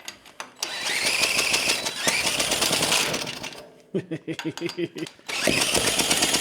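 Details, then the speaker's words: Antique David Bradley walk-behind tractor, single-cylinder engine once seized, with a non-working carburettor: it runs in bursts with a high, piercing screech over the firing; a bad bearing is suspected, or a leaking reused head gasket. "fire cool it's running didn't like that screeching sound though that sounded like a bearing was very unhappy"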